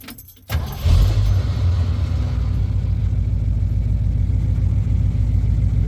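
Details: 1977 Ford F-150 after replacing failed voltage regulator (engine wouldn't shut off with key), regulator remounted with sanded ground: starter catches quickly, steady even run, no misfire or stumble; now charging and stops with ignition off.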